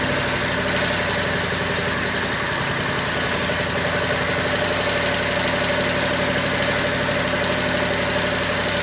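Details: Craftsman lawn tractor small single, cold start after not running over a year, choked, battery charger on jump start: smooth, even idle, steady beat, no misses or knocks; healthy, though owner heard a sputter and suspects it may be running out of gas.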